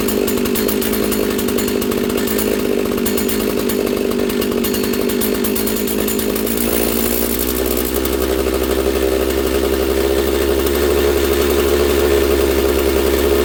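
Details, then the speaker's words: Husqvarna 66 chainsaw, freshly assembled, bench run: high buzzy idle staying up rather than settling, slow to return to idle; running lean, attributed to air density and elevation, needs carb richened. "You can hear it's lean. It's idling kind of fast and it's slow to return to idle. And again that is due to um uh air density and elevation."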